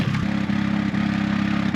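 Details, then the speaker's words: Car "Tori" at high altitude in the Bolivian Andes en route to La Paz, climbing uphill at barely 20 km/h: labouring low revs, uneven chuffing beat with periodic power dips; sputtering under load blamed on thin air. "Now we've got a confident spluttering Tory barely getting us 20 kilometers an hour up the road."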